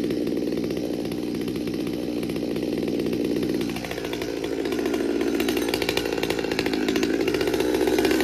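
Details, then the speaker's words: Stihl MS200T saw with aftermarket carburetor and intake boot, warm after cold start: steady buzz, pitch dips then creeps higher without throttle, much smoke; goes out of tune when warm, air leak from worn crankshaft seals. "it usually goes out of tune once it warms up you'll notice how much smoke is coming out of this it's starting to idle up already"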